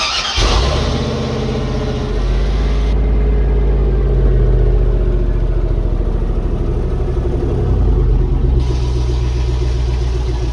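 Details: 1976 Chevrolet K10 LS-swapped 4.8L V8, first start after fuel system finished, one O2 sensor, temporary leaky exhaust: deep even rumble settling into steady smooth idle with small exhaust puff; normal idle.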